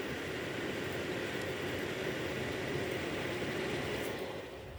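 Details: Asus RTX 3070 OC graphics card: loud, rough, uneven grinding rasp running steadily from the card's cooler, likely a worn fan bearing.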